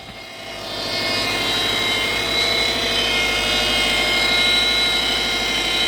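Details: 2007 Subaru Impreza: steady high hum over the engine climbing with revs; power steering pump whine.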